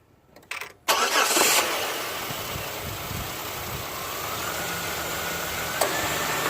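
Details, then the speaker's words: GM engine with a distributorless coil pack, after new spark plugs and plug wires fixed an intermittent miss on cylinder one: it fires up easily on the first crank and settles into a steady, even idle with no stumble. Normal start and idle. "there you go the intermittent miss on number ones gun fires up super easy can't complain plugs and wires are swapped out"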